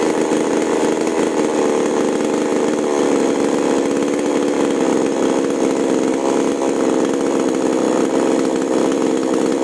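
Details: Chainsaw with H and L carburetor screws, test-cutting wood after carburetor tuning: smooth, even high-revving buzz held at full throttle through the cut without stumbling or surging; saw pulls strong and clean.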